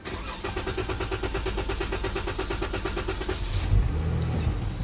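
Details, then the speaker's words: Chrysler 300 crank/no-start, after starting-fluid test: steady cranking about three seconds, engine catches briefly then dies on its own, diagnosed as bad fuel pump, not starter. Fuel pump failure. "see how the car starts but it dies off n times 10 that's a bad fuel pump right there"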